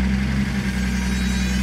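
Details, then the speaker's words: Datsun 280ZX at idle: a thin, constant high squeal rides over the engine once the A/C is switched on, likely belt or compressor drive related; squeal with A/C on. "something else random I noticed if I turn on the AC there's"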